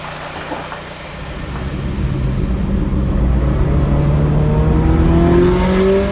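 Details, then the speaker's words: Turbo Scion FR-S after fitting a NonStopTuning idler pulley kit, replacing noisy idler pulleys after a thrown belt, on a test drive: smooth engine note rising with revs, no belt squeal, chirp or flapping; water pump still running, belt drive healthy. "all right so i think it's safe to say that the belt is uh working since the water pump appears to still be functioning at this moment"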